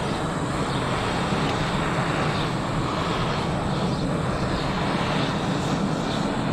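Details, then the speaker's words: Parkside gas weed burner from Lidl, just lit by turning on the gas and pulling the trigger to ignite, heating wood: an even, unbroken hissing flame roar with no sputter or surge, normal burner operation. "There you go, the flame is now on. Now look how hot this gets on this wood."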